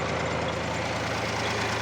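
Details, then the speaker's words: Tractor running with the rotary tiller after it stalled with a dead battery and was jump-started with a mini jump starter. Steady, even pitch with no knocks or clunks from the driveline; the driveshaft runs like new and nothing knocks. "завели успішно кардан як новий вже працює нічого не випадає нічого не стукотить"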